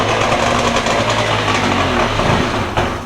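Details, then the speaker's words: Two-stroke premix jon boat outboard sitting three years, carburetors rebuilt, new battery, cold day, premix poured into each cylinder: catches instantly, rapid rattly buzz for about three seconds then fades; fires only with primed cylinders. "let's see what happens now when we turn it over hopefully we got fired in every cylinder"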